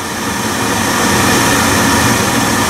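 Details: Biasi B-10 boiler with Riello oil burner, after bleeding air from fuel line and closing bleed valve, burner cover off: steady even roar with smooth hiss, no sputter, pulsing or rumble; burner firing normally.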